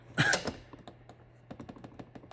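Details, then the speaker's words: 2014–2019 Chevrolet Silverado cab: quick, dry plastic-and-metal clicks from the adjustable seat belt height adjuster, rattling badly when set all the way up, right by the occupant's ear. "there's a rattle that comes from the adjustable seat belt height adjuster whatever you want to call it when it's all the way up here it just yeah you can hear it hopefully but it rattles like crazy drives me insane"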